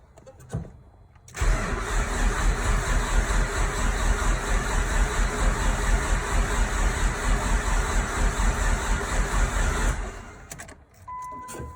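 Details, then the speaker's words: Nissan Sentra Spec V engine being rebuilt as a turbo build, cranking with coils and injectors disconnected to prime oil before first start: about eight seconds of even, rhythmic cranking with no firing and no rattles or knocking, which is healthy. "so i have coils and injectors disconnected so i can prime oil in the engine and that's what we're gonna do now figure record it in case it sounds like a jar of marbles"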